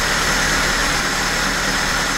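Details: VAZ 2104 carbureted, complaint of high idle, hard starting and deep stumble, checked with a motor tester before adjustment: steady even hum sitting noticeably above normal idle and not settling; idle speed set too high.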